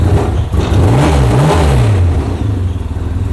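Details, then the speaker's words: New Wildcat 700, first service, cold engine running closed-loop EFI on MAP with slight hesitation: picks up quickly on each blip, pitch climbing and falling smoothly, no knocks or rattles; normal cold engine revving. "as soon as you give it a little bit pedal that sounds pretty good right there"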